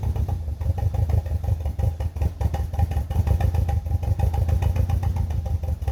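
Uneven idle with a lumpy, stumbling beat and random dips in the rhythm, the typical shake of a cylinder missing.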